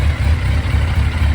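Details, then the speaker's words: 2001 Yamaha FZ1 after carburetor rebuild, warm idle, choke off: lumpy, uneven low thrum; intake vacuums unequal (cylinder 1 about 22, 2 a little over 24, 3 around 24, 4 slightly lower), carbs need synchronizing. "or the pressures the intake vacuums are a bit different um looks like one is around 22. uh two is a little higher than 24"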